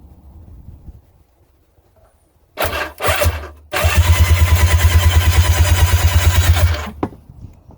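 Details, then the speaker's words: Old two-stroke jet ski that sat unused for years, cranked on the starter with spark plugs removed. Even, quick whirring pulses for about three seconds with no binding or catching; spins freely, normal cranking. "yeah that sounds pretty good doesn't huh"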